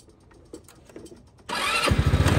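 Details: Chinese scooter with about 1,006 miles, restarted on the electric starter: a brief starter whirr, then the small engine catches and settles into a quick, steady idle. A clean, normal start.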